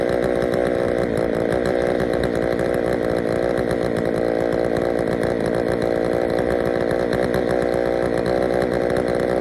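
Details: Poulan 3000 chainsaw after service (fresh fuel, air filter cleaned), previously reported not starting: even, steady high-pitched buzz at constant speed, no stumbles or surging; runs cleanly.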